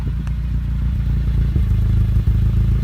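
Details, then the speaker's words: 1988 Honda Civic wagon at idle with a Magnaflow muffler and no catalytic converter. Steady, even low burble with no misses, ticks or rattles. Exhaust sounds healthy, sealed and decent. "it's got a Magnaflow I forget what series it is by 135 dollar muffler plus installation something like that it's not completely ricey but it sounds sounds decent"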